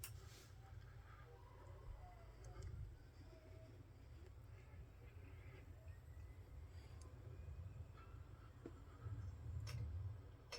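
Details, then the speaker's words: Seagate hard drive clicking with its click of death, still powered but disconnected from the board, with sharp isolated clicks over a steady computer fan hum; the PC had been stuck at the BIOS screen. "you can hear the hard drive clicking that's still powered on in there but it's no longer connected to the board"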